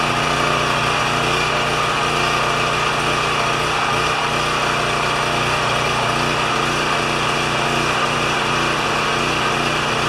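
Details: Champion 3000 W generator, brought in as a non-starter, running after service with a disliked choke adapter; tested good days earlier, likely low hours since last tune-up. Steady, even buzz at constant loudness, no surging or misses; normal running.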